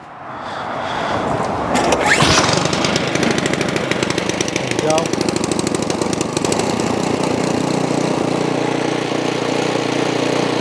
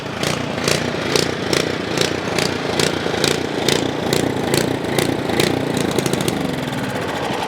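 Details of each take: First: Ariens Path Pro 208cc single-stage snow blower that surged, after opening the carburetor idle circuit jet, started without primer: brief rough start then steady even drone with no hunting; surging gone. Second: Ariens Path Pro 208cc single-stage 4-cycle snow blower at idle, speed rising and falling in regular waves about twice a second; surging idle, seller says it goes away under snow load.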